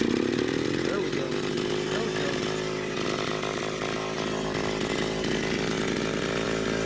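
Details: Echo PB-202 backpack blower, almost 40 years old, started easily: steady high buzzing two-stroke holding an even note under a little throttle on half choke, no surging or stumbling; normal running.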